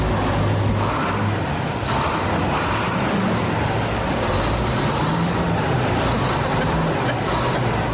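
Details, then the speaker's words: 1985 AG-Chem TerraGator fertilizer spreader running with a deep, even diesel rumble and no knocks or misses over outdoor noise; engine sounds good. "It sounds good."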